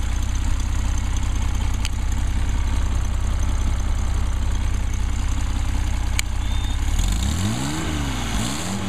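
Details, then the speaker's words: Rebuilt 220S engine started from cold at ambient temperature, 90–100 psi oil pressure: steady, even low idle with clean throttle blips. A healthy, happy engine warming up. "operation sounds good and looks good a Happy Engine not much to do except let it warm up"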